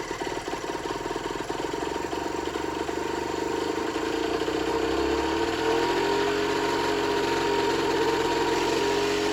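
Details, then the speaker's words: Generic Trigger SM 50cc two-stroke on a temporary fuel tub with a stiff temporary throttle cable: rough buzzy idle whose revs climb on their own. Owner suspects an air leak, later found around the intake manifold; main and pilot jets were also blocked. "It's not running too great. I think she's got an air leak. Yeah, I think it's got an air leak somewhere."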